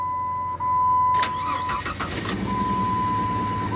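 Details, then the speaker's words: Jeep that sat since last winter, possibly with bad gas; owner suspects an injector wire fault with one or two injectors not firing. Cranks and catches, then a choppy, stumbling idle, a misfire at start-up. "Now that's a sputter. You can hear it. Just blah, blah, blah, blah, blah. So that's that injector wire. One or two of the injectors are not firing."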